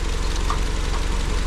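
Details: Honda Civic four-cylinder, previously misfiring on cylinder 2, after a wiring harness swap and refitting the original coils: even, evenly spaced low pulses with no skips or stumbles; now idling smoothly on all cylinders.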